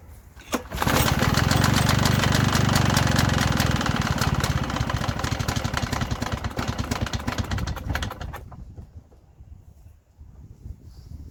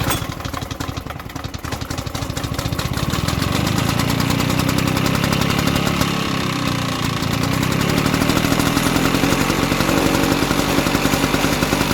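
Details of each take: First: Victa Sunbeam lawnmower, circa mid-1970s, uncleaned, on existing fuel: pull-start catches and pops unevenly for several seconds, then fades and dies; fires but won't stay running, spark plug to be checked next. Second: Probably mid-1970s Victa Sunbeam mower, single-cylinder engine running on a carburettor borrowed from another mower: runs fast and fairly steady after a slow rough start, no knock or misfire; a carburettor clean is expected to help.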